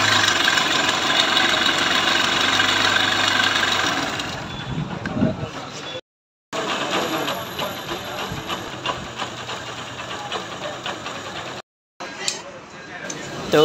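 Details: Honda Trigger motorcycle at idle: uneven ticking chatter about three to four per second from the top end; cam and rocker arms found worn and scored under the tappet cover, being replaced with original parts.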